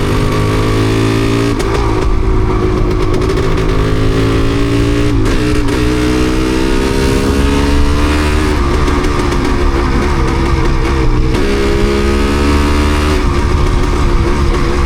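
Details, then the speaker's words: DT250MX two-stroke while riding, after water got into the engine: uneven note with stumbles and firing dropouts as the revs waver, despite plenty of fuel. Engine misfire; rider suspects water on the plug. "Dear, oh dear, not so good, is it? Got plenty of fuel. Sure we have. Guess it's just water in that."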